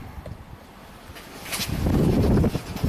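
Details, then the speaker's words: 2022 Kia K5 1.6 L turbo direct-injected FWD, 7,000 miles, collision-repaired, stalled and now crank no-start with no codes; on a battery charger: uneven cranking building to a steady churn that never fires; no spark. "oh yeah now it's cranking good what do we see no spark okay so we have a direction no spark"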